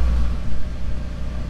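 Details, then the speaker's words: 1990 Mercedes 560SEC AMG, long-sitting, idle earlier uneven (owner suspects a sticking injector): now a low, steady, even idle rumble with no hunting or missing, though an unidentified strange noise is noted; normal idle. "idle is better here so [Music] keep an eye on that noise i don't know what that is strange all the belts looks even no weird smooth idle"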